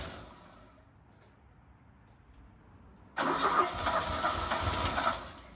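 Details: 1977 Fiat 124 Spider barn find, sat nearly 25 years, no radiator and water pump pulley disconnected: catches after a quiet stretch, then an uneven, lumpy idle with irregular surges; rough idle.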